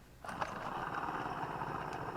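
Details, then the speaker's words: Kasco Plotters Choice disc harrow after one year, disc hub spun by hand with a rough gritty scraping whir: worn, dry hub bearing, unsealed; every hub bearing found bad. "you got to be able to hear that that bearing is trashed and I thought well okay well it hit a stump but every one of these it's the same way"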